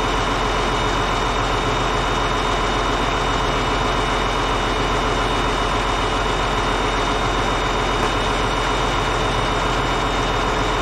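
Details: Caterpillar D8H bulldozer, 46A serial, year unknown, first start after sitting 15+ years: deep steady diesel idle with even unbroken beat, no knocks or misses; normal idle, running good.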